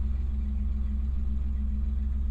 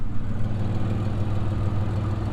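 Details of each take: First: 1999 Pontiac Firebird, just started: steady low idle with an even, smooth pulse and no knocks or misses; runs really good, normal idle. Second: Pontiac Firebird, about 158,786 miles: low, steady idle with a faint puffing, staticky tick about three per second and a loud rear note. It is an exhaust leak somewhere underneath, possibly at the catalytic converter (unconfirmed).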